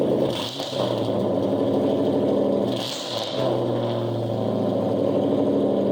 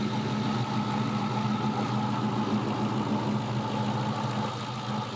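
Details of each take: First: 2000 Ford Mustang GT with the 4.6 V8, engine said to be stock: loud, deep, burbling idle with sharp barking throttle blips. Exhaust far louder than stock; owner suspects it is straight piped, not confirmed. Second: 2000 Ford Mustang GT 4.6 V8 with cold air intake and new alternator, steady even idle with smooth low rumble and no knocks despite one leaking fuel injector O-ring; normal idle.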